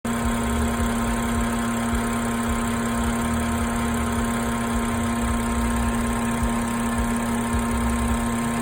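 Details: BMW F10 with N55 engine at steady idle: a constant, even buzz sits over the engine note throughout, source of the buzz not identified.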